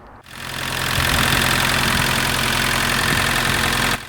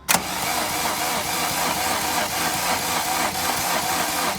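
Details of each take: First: MK2 VW Golf GTD diesel, stood six years, after new battery, ignition barrel, glow plug fuse and fuel system bleed: starts and settles into a steady, even idle clatter, no misfire or hunting. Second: MK2 VW Golf GTD diesel after six years stood, ignition barrel, battery and glow plug fuse replaced: starter spins engine at steady even beat but never fires; no fuel coming down injector lines, air in fuel system.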